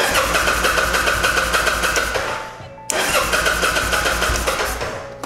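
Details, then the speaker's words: Kawasaki Vulcan 800 Drifter (VN800E) after new ignitor restored spark, choke applied: starter churns at a steady beat, nearly catches then dies; cranks but fails to start, carburetor work suspected. "oh almost well i think she might need some carburetor work"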